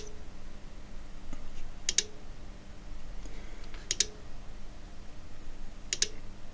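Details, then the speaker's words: Cambridge Audio Minx Air 100 speaker with no power: sharp rhythmic clicks every two seconds, no lights, the faulty switched-mode power supply restarting and shutting down. "Can you hear that clicking? Rhythmic clicking. I think you can. And interestingly enough, now there's no flashing lights or anything else."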